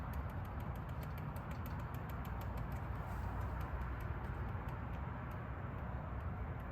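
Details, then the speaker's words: Volvo 240 GL, fuel pump wired directly to the battery for testing: only faint light ticks about three a second, no pump whir; fuel pump dead, not the relay or wiring. "i can like hear the faintest little tick from that pump trying to do something so yeah so this pump is definitely bad it wasn't like the fuel pump relay or wiring or anything like that"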